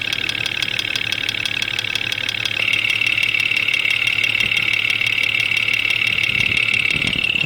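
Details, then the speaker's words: Jeep XJ Cherokee 4.0 L at 175,000 miles, intermittent knock mostly when cold, heard via ChassisEAR at injectors: sharp, even ticking about 2.5 per second at idle, loudest at cylinder 5; suspected dirty injectors or internal noise; engine knock. "Number 5 cylinder is quite loud."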